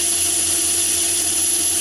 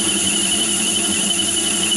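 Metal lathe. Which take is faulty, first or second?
second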